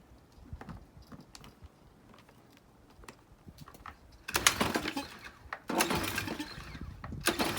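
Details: Troy-Bilt pressure washer with Briggs & Stratton engine, stored over winter with fuel left in tank and carburetor, water supply hooked up: three rattling pull-cord strokes that fade without firing; no start, varnish clogging carburetor jets.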